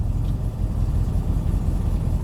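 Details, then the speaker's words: Cold start, in neutral after immobilizer off and fuel pump primed, with throttle nudged: deep even low rumble swelling slightly, engine keeps running smoothly without stumbling; without throttle play it might stall. "So you'll find that if you don't play with the throttle a little bit, it might stall on you and you might have to go again."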